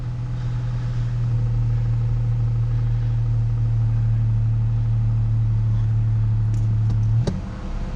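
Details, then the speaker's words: Truck with a fuel-delivery no-start, fixed by temporarily jumpering the fuel pump inertia switch: steady even low hum at idle with no stumble or misfire. Third start in a row with no problem, and it idles normally. "and here's the third start in a row with no problem at all"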